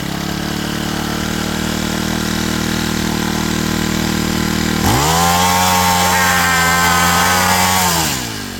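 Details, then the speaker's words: Honda small engine on a farm pump, not run in a long time, started after priming. It runs with an even, steady note, revs cleanly and settles back with no misses or knocks; normal running. "Sounds like your everyday Honda Civic."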